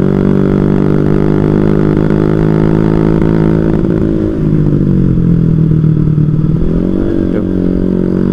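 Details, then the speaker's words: Carbureted small motorcycle held at high rpm sags in pitch for a couple of seconds, then recovers; intermittent stutter only at high rpm, not low; carburetor cleaned repeatedly, owner suspects the regulator/rectifier. "jadi ini cuma di RPM tinggi guys kalau di RPM rendah Nggak cuma di RPM tinggi ya kayak gini ya"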